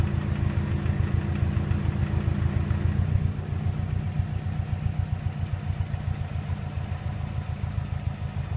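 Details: 2007 Subaru WRX at idle: low, uneven buzzing rattle pulsing with the idle vibration. Caused by the intercooler Y-pipe contacting something else in the engine bay.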